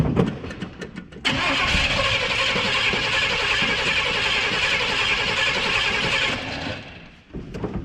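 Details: Abandoned Chevy K5 Blazer being revived, cranked after starting fluid: steady fast starter cranking, about 3.5 beats a second, for five seconds without catching. The fuel in it is known to be bad. Crank, no start.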